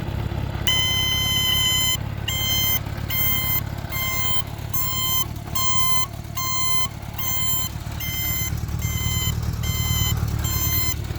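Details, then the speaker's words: 1977 Honda GL1000 Goldwing with 13,000 miles and much sitting, idling with the turn-signal beeper on. A high-pitched electronic beep at about eighty a minute with a harsh, uneven, "sick" tone, blamed on long disuse. "of course the beeper hasn't been used much over the years so it kind of has a sick sound to it"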